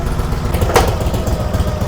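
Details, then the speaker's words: 1946 Harley-Davidson FL Knucklehead, first start in 20 years, no choke: slow, even loping V-twin idle, steady with no knocks or misses; purrs like a kitten, runs really good, normal idle. "Amazing. Purrs like a kitten. Unbelievable. Yeah, it runs really good."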